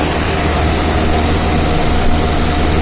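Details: 1990 2.5-ton Tempstar heat pump outdoor unit running in cool mode at about 90 degrees, condenser fan spinning, compressor sweating; loud rasping roar with a coarse hacksaw-like sawing edge, owner believes it is slowly dying, cause undetermined: harsh running noise.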